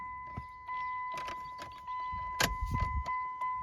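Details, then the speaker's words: 2001 Dodge Ram 1500, under 120,000 miles, no-start with cab power working: key reminder ding sounds steadily with no key in the ignition in any position, over key jangling. "so the other day when i parked it here in our driveway um the key is dinging as you can hear um the key's not even in it no matter what position i turn it in"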